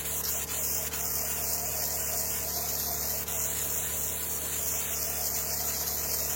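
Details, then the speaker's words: Chemical spray pump rig after tightening a fitting to chase a suspected air leak (chem line pressure had dropped to nothing on a job), running soap then water: steady even hiss over constant pump hum, brief normal spit on changeover; back to normal. "I hear it spitting there hitting water again and that's normal there I can see it cleared up"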